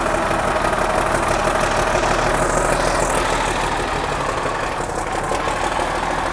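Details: 1963 Mack F600 old diesel, owner thinks an early C six-cylinder, just fired up after checking fuel prime; oil pressure coming up through the big filter. Steady even idle clatter, no misses, faint turbo whistle on top: normal healthy diesel idle.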